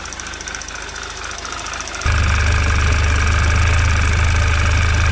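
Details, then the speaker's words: 2011 Audi TT Quattro 2.0T TFSI, first run after engine-damage repair, on a chilly day, oil pressure 40–45 PSI: fast light ticking of about 4 per second over a rough idle, louder with gas. Owner thinks the lifters are still filling with oil. "Lifters are a little noisy. Might just take a while for them to fill up and kind of just figure out what the hell they want to do."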